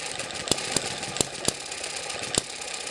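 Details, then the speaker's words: Eachine ET7 (M94-type) model hit-and-miss engine after governor springs were stretched to slow it: sharp single firing pops at uneven gaps with quiet coasting between, about 900–1000 rpm; normal slow hit-and-miss running. "this sounds good just over 900 rpm you"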